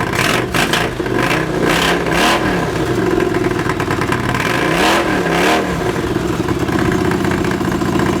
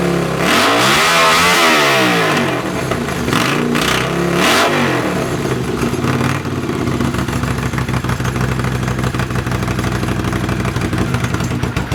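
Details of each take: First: Honda CX500 cafe racer, carbs being colortuned, fuel screws 2.5 turns out: twin idles evenly but each throttle blip bogs and stumbles before revving; many flat spots off idle, idle improved. Hesitation on throttle opening. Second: Honda CX500 café racer twin, after swapping a dirty fuel filter and colortuning the carbs (pilot screw about 2.5 turns out, slight flat spot right off idle): throttle blips rise and fall cleanly, then settle to a steady, even idle. Runs properly.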